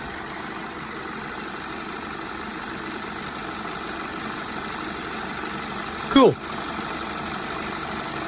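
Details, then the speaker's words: Hyundai Tucson at idle after AC compressor replacement: quiet, steady idle with an even compressor hum and one brief clunk. Variable displacement compressor modulates to a steady target temperature. Normal AC operation. "Yeah, that's the beauty of the variable uh displacement compressors is they can maintain a very sensible temperature."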